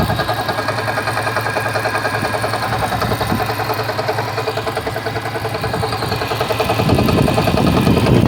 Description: From a cold start, it makes this noise at idle.